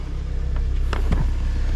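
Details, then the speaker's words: Kia idling just after a new Amazon fuel pump was installed; the old pump had been very noisy. Steady low rumble with an even pulse and no pump whine or buzz; normal idle. "tenemos la bomba que no hace ruido, la otra estaba haciendo tremendo ruido."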